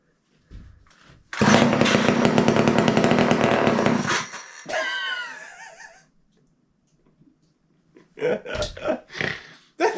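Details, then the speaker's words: Garage-sale two-stroke chainsaw with fuel line off the carburetor, primed by syringe, choke on: catches at once and buzzes hard about three seconds, then dies as the primed fuel burns away. "they fired right away all right let's do it again"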